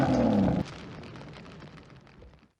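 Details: 1983 Oldsmobile Cutlass Hurst/Olds 15th Anniversary, 307 high-output V8 with automatic, 85,805 miles, heard at the rear: deep burst of revs dropping off after half a second, smooth with no popping or rattle; normal exhaust note.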